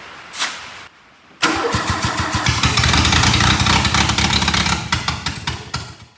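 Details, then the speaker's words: 1981 Plymouth Reliant/Aries K car, 4-speed manual, sat about 35 years, throttle wide open, timing suspected way off, possibly not on all four cylinders: catches after short crank, runs lumpy with uneven pops and surges, then dies; rough running. "Yeah, it runs. Let's hook up some fuel to this thing. Really bad. Well, it's wide open."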